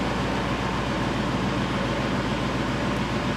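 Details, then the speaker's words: 1999 Chevrolet Suburban 5.7 V8 warming up after distributor gear replacement: steady, smooth idle with no stumbles; original complaint was misfire at idle, possibly fixed by the repair; fuel trims look good. "It sounds like it's idling pretty smooth. I don't know if his, may have inadvertently fixed his original problem."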